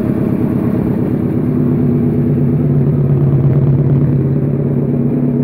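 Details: Suzuki SV650 supertwin self-build project after rebuild: deep, even twin-cylinder throb at steady speed, no rattles or ticking; rebuilt engine running normally.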